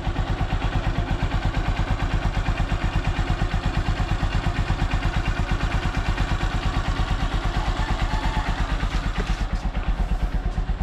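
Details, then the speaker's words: Honda Supremo 150 single-cylinder motorcycle, morning start using choke to get around hard starting, warming up: steady, even, quiet low thumping idle with no knocks, ticks or rattles; normal idle. "so Ito pala yung andar ng aking Honda Supremo napakatahimik"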